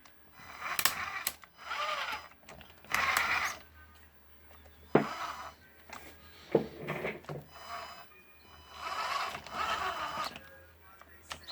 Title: axial blazer diff ticking sound